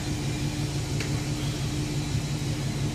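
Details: Chevy Express van 4.3L V6 after repair: the P0300 and cylinder 5/6 misfire was traced to bad lifters, all lifters were replaced and Lucas oil stabilizer added. Even, steady rumble with no misses or stumbles, normal idle, and no check engine light.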